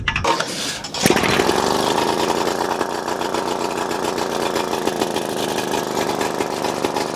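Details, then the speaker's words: 1936 Johnson Seahorse Model 200 outboard after correcting the fuel mixture ratio: catches after a short crank and holds an even, buzzy two-stroke beat for about 10 seconds, running good. "Yeah. She had fuel. Hell yeah. She's a thirsty gal. But yes, she runs. She runs good."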